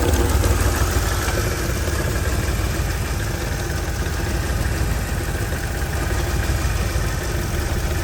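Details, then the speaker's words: 2007 Mercedes GL450 with random misfire, low power: low, lumpy idle hunting and never settling, sucking noise heard, catalytic converter rattles when tapped, battery light on; misfire cause unknown. "You hear that sucking? Trying to find an idle. Very unsteady."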